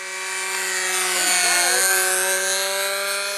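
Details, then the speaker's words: Glow-fuel RC model plane engine screaming steadily at high rpm with a hollow, echoing edge to the note after a glow plug change; the muffler had worked loose. "it's making a funny sound it is isn't it got like a little Echo to it or something"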